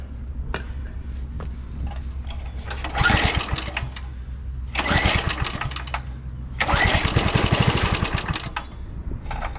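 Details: 2007 McLane reel mower small engine that fires then shuts down, on choke with carb cleaner sprayed in before the carb clean. Two quick recoil pulls give short fast chuffing spins but it never catches and runs; cranking no-start.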